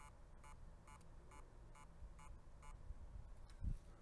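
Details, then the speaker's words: HGST laptop hard drive from a stepped-on Asus laptop that boots only to BIOS, connected by USB-C adapter: faint, evenly spaced high chirps about twice a second with no spin-up hum. The heads are stuck, so the platters cannot spin. "okay so that does sound like there's actually a problem to drive if you could hear that I try to make that a little louder sounds like the head's actually stuck on here so that's why it's not spinning it's not doing anything because it can't"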